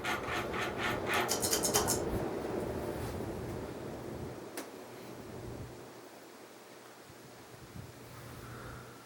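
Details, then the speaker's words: c.1990 FASCO Great Room 56-inch ceiling fan, 1.2 A Fasco motor, switched off from high speed: rhythmic dry rasping about three strokes a second fading as it coasts down; something rubbing on the switch housing. "but it is really loud because some things rub me on the fish housing"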